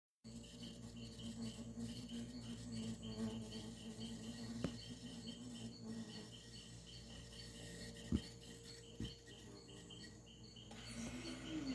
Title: alguém sabe dizer oque causa esse barulho na geladeira igual monte de abelha zumbido